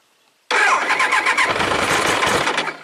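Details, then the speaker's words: 1999 Triumph Trophy 1200, sat a year, with a replacement used ignition control box fitted; cranked in neutral, it caught and ran evenly without a charger, confirming the igniter fix. Fuel petcock parts are still pending. "Nice. Nice consistent spark. It actually started up on without a charger."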